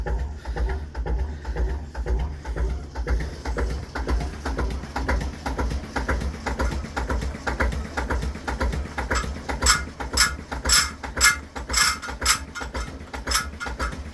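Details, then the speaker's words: Cold JP2 marine diesel on a boat in December after three months unused, just started from hand cranking: slow thump about two beats a second with sharp metallic ticks; the starter ratchet is freewheeling off the flywheel, all normal. "And that's the ratchet you can hear that separates the starting mechanism from the flywheel once it's up to speed."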